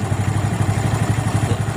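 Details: Suzuki Smash single, carburetor being adjusted (air screw set for highest rpm, then idle screw lowered): slow, even thump of about thirteen pulses a second, steady without hunting; normal low smooth idle.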